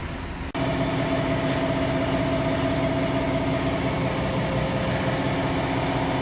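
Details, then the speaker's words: After replacing the worn wheel bearing, car raised and wheel spun by hand: free spin with a smooth, even hum, no growl or rumble rising with speed; bearing now sounds healthy. "No noise. Wheel bearing is fixed."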